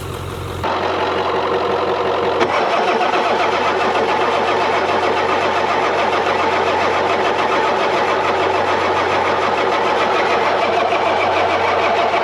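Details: 1996 Ford F-250 7.3 Powerstroke with veggie oil conversion, sitting 10 years, glow plugs off, low fuel; long steady starter churn at three to four beats a second that never catches; cranks but will not start, cause unconfirmed.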